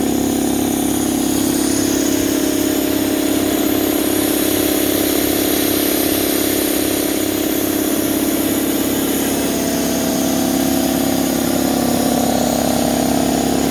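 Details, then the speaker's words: Draper 150L belt-driven 2.2kW 10-bar air compressor, new, running 10 minutes with the outlet open so air escapes and pressure stays low. It gives a steady even pump beat with a rushing hiss; oil level fine and oil clear. Runs normally. "Right guys, so it's been 10 minutes now. As you can hear, the air is still escaping. So it ran well."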